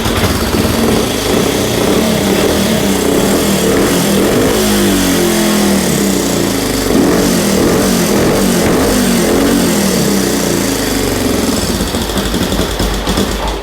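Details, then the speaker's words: 1965 Honda CL77 305 Scrambler, first start in years after fogging oil: lumpy but steady twin burble picking up cleanly on quick blips and settling back; normal idle and revving. "sounds pretty good there we go so yeah that's awesome sounds good"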